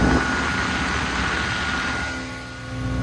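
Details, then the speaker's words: Ford Mustang with newly fitted GT500 cooling fans, switched on with the AC while diagnosing overheating: strong, steady rushing whoosh with a faint hum, louder than the old fans; fans running normally, though they later fail to switch on at 178–180°F. "they're louder than the old fans that sounds cool"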